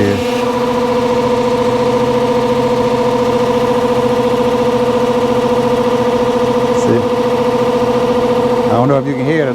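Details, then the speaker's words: Lennox AC condenser fan motor (825 rpm, 1/6 hp): steady mid-pitched hum with a whirring whine wavering about twice a second; loud noise from bad bearings, lubrication didn't help, motor being replaced. "all right i got a unit back here that the customer said that making a loud noise the condenser fan motor so it has bad bearings in it"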